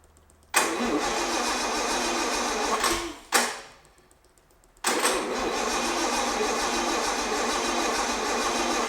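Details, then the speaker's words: 1975 Bedford truck 50-year-old petrol engine, first start after long restoration, no choke, plugs not yet cleaned: catches, stumbles and dies within seconds, fires again after pause; hard starting. "yeah see don't want to start anymore clean up plugs have another go"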